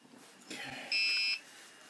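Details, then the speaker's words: DJI Goggles/Mavic Pro controller during a firmware update with the drone powered off gives one sharp, high-pitched half-second beep. This is the no-connection alarm, silenced by toggling a switch. "But I have to keep resetting the connection on it, because it'll start to scream here in a minute."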